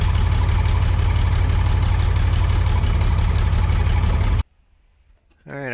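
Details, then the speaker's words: Off-road crane diesel, recovered after tipping over when its engine quit on a hill, thuds unevenly at about three beats a second, labouring under crane load; running rough and short of power, owner says it needs a new engine. "this thing got a little messed up the engine's not running right it needs a new engine it's only doesn't even have enough power to drive but it has enough power to use the crane at least"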